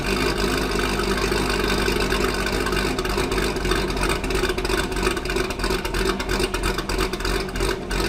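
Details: Chevrolet Corvette Grand Sport LS3 V8 at first startup after a cam install, with Corsa exhaust: deep, choppy idle with a loping beat around three per second, steady and even, a healthy big-cam idle.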